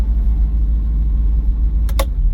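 Low, even engine rumble with no ticking or tapping on top, a smooth steady idle with no valve noise.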